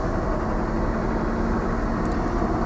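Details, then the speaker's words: 1995 Nissan D21 pickup with manual clutch, clutch pushed in, in neutral, after replacing the ignition starter switch (new starter and clutch switch fitted earlier): starts right up with no electrical buzzing, steady even idle; normal. "let's push the clutch in make sure we're in neutral started right up"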